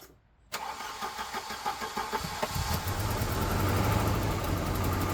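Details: Volvo 240 after engine replacement, petrol carbureted engine with new spark plugs and roughly adjusted distributor, cranks briefly at about three pulses a second, catches and settles to a steady idle; earlier tappety/pinging noise suspected predetonation.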